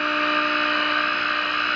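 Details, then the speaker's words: GE radio converted into an AM transmitter, now working after swapped 50C5 and 35W4 tubes were corrected, on a Variac at 100.4 V drawing about 170–180 mA: a steady, pure tone at 30% modulation during second IF alignment, with the IF peaked. "Alright, there's our peak. May have turned up a hair more. Hear the sound over the radio."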